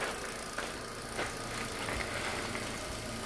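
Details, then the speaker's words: Hyundai Accent at idle with steering at full lock: irregular dull knocks from play in the steering rack and pinion and tie rods; fix is regreasing and checking the plastic rack bushing and rack ends. "So ngayon, so ang problema nito ay yung ah rocking pinion niya meron siyang clay."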